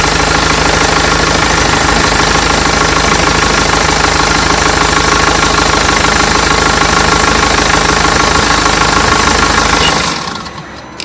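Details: BMW X3 F25 2.0d diesel, start-up after serpentine belt replacement: steady even idle with usual light clatter and no belt squeal, then shuts off; healthy.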